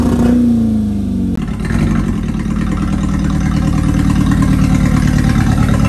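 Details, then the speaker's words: 1996 Ford Escort stock engine before removal for K24 swap: very loud, uneven chugging with clattery beat after a quick rev, like an old tractor; old tired motor running rough, cause unknown. "this thing is hilarious it sounds like a trap tractor is so loud and it runs so rough sounds like an old tractor"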